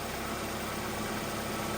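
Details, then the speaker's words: 90s Ford Escort, 117,500 miles, idling after the seized AC compressor was gutted into an idler pulley with a new bearing and the correct belt fitted; steady, even hum with no knocks, squeals or grinding, no warning lights. "So that works. I'm pretty happy with it. Sounds good. I don't have any warning lights."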